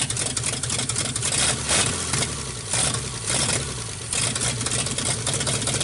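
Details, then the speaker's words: 1948 Nash engine, bored 60 over, first start after head work. The idle surges and sags about every second, lumpy and rich. Owner says it floods out and plans a carburetor kit. Cause suspected, not confirmed. "okay definitely Ron's runs pretty good at flooding out so we're gonna get a kit in the carburetor"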